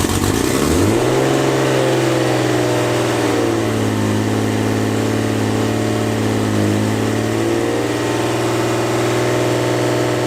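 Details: Rebuilt forged-internals RB25 engine (500+ hp build) at first start, very loud: the idle stays high and creeps even higher instead of dropping; cause not yet identified.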